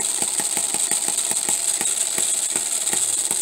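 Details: Homemade miniature 4-stroke hit-and-miss engine (half-inch stroke, bore slightly over half inch) running at about 1500 rpm, governor locking out the exhaust valve. Sharp, evenly spaced firing knocks over a bright gear whir; normal hit-and-miss running.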